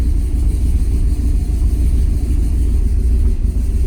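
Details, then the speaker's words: Turbo Ford Ranger just after a cold start at about 50-degree coolant; deep, steady, even idle with no misfire. Cold start issue fixed; a rattling muffler was later found to be making noise. "That's good. How's that? So, cold start issue fixed."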